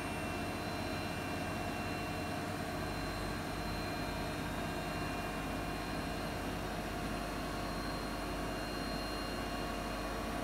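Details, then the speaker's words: Siemens iQ300 8 kg 1000 rpm washing machine on spin program, extra rinse off, loaded with wet laundry, spinning at about 1000 rpm: steady smooth even hum without knocks or banging; healthy normal spin, no fault. "Makinemiz şu an ortalama 1000 devirde sıkma yapıyor arkadaşlar. Bu makinede hiçbir şekilde herhangi bir sorun veya arıza yok."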